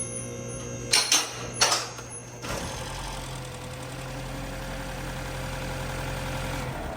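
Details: 2017 BMW 330e after jump-starting its small front battery (which had caused click-only no-crank): a few sharp clicks, then the engine catches and settles into a steady, even idle; normal start.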